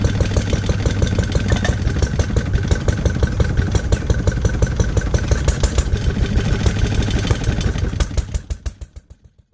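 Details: Lister D petrol single-cylinder barn find, first start in 20+ years after restoration: irregular thumping, then coasts down and stops; no knocks, no smoke, good compression. Owner suspects timing adjustment and carb settings needed; uneven running.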